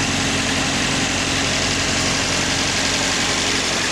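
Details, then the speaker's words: 1986 Toyota Sprinter Trueno AE86 GT-Apex, 4A-G twin-cam, about 131,000 km, aftermarket header, apparently long unused: started without a problem, steady even idle with busy mechanical clatter, no misses or knocks; normal, these engines are loud. "first off the engine started up without a problem and seems to run well these 4 AG engines are rather loud engine compared to Modern engines these days"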